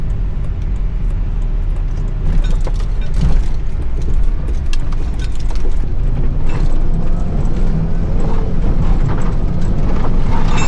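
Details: Volvo XC70 lifted with 3D-printed parts, driving after the subframe was refitted: steady road rumble and engine drone with no turbo whistle or hiss standing out; the earlier noise is now much quieter and the turbo sounds normal.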